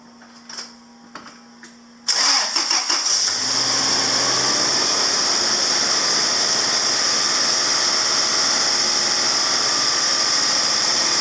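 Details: Truck started after the owner's repair work, with the negative battery cable just reconnected: the starter catches in about a second, then a steady, even idle with no misses or knocks; normal start and healthy idle.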